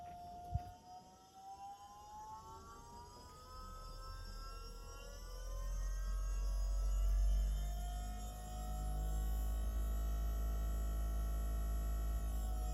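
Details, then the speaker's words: Electro-hydraulic Volvo power steering pump fitted into a Chevy S10, switched instantly to full speed: a smooth, even whine climbs in pitch and holds. The system bled quickly, and the pump sounds normal and healthy. "Okay, I'm going to turn it all the way up instantly and we're going to see how long it takes. All right, that's all the way up."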